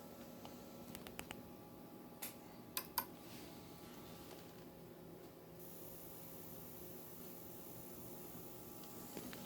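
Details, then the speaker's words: Samsung 58-inch plasma TV PN58C550G1FXZA after resoldering broken joints on transistors: a few soft clicks, then steady faint high buzz as it powers on and stays on with picture; previously clicked repeatedly with no picture and blinking red light. "It stays on. And I have picture."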